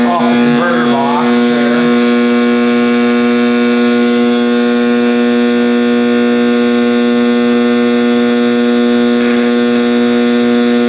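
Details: 1960s General Electric black-and-white TV, back off, warming up after rewiring: a steady, loud mid-pitched hum with a howling overtone at constant pitch; owner suspects an internal capacitor rather than the tube, unconfirmed.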